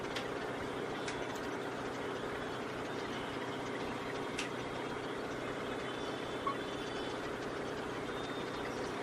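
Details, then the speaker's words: Kia car, petrol engine with check light on: uneven stumbling idle as rpm won't hold steady, misfiring on cylinders 2 and 3; the mechanic suspects the spark plugs and will change them. "Check light भी आ रहा है इसके अंदर कि आरपीएम सही रह नहीं रहा, मिसिंग कर रही है अभी, जगह पे खड़ नहीं रहा आरपीएम।"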